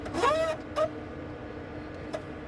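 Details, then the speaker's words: CJ3 vehicle, inside the cabin as the parking brake is released: a rising creaking groan-squeal for about half a second, then two shorter squawks over a steady hum. Reported as an abnormal brake noise; cause unclear. "So that right there was when he let the release the parking brake."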